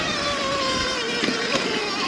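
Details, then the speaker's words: 2022 Sur-Ron Light Bee X electric dirt bike with full-power green cable mod: steady fairly high whine with faint rough edge while riding, never this noisy before; owner suspects jackshaft, chain checked fine and not overtight; unconfirmed. "today I don't know that's something to do with a jack shaft but if that sounds like a jack shaft noise please let me know cuz it's never sounded that noisy"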